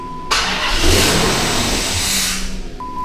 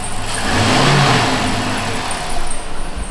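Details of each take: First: Dodge Magnum R/T V8 wagon: engine catches and revs briefly with a thin hiss and whistle riding over it, then dies, no check engine light; suspected intake vacuum leak, source not yet found. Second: Dodge Magnum R/T V8 after an O-ring replacement and sensor work, no check engine light, idling around 800 rpm while still warming up in park, revs smoothly and settles back steadily; only a faint belt squeal remains.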